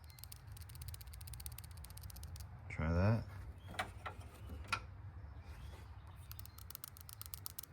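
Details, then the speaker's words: Old PCV valve, just removed from a 2012 Honda CR-V that recently started losing oil, shaken by hand: quick light metallic clicks in bursts as the check ball moves freely inside; the new valve rattles about as much, so the owner doubts replacement is the fix. "I was hoping when this thing came out that if I shook it, it wouldn't rattle. I don't know if you can hear it, but it still does rattle."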